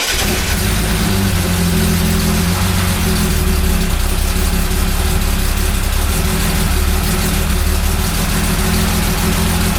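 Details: 1975 Jaguar XJ6 that kept losing power and stalling, after the SU fuel pump was checked and now holds pressure: steady, even idle with a constant low hum and no stumbling; pump ticks as it feeds fuel; normal idle.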